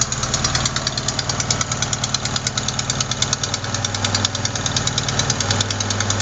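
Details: Fast, sharp ticking about three per second over steady idle; not lifters or rocker adjusters but a leaking exhaust manifold gasket at cylinder 4, which replacing the gasket should fix.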